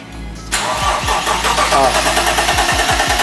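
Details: BMW E30 engine cranking: starter churns steadily about three turns a second and never catches; crank-no-start.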